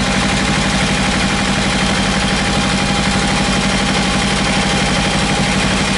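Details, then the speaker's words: Kawasaki Ninja 300 Panasonic 12 V radiator fan motor, repaired after a stuck brush left it open-circuit, now running: steady whirring hum with a faint even tone over a rough idle; fan spins freely and sounds healthy. "aí pessoal ligou o ventilador"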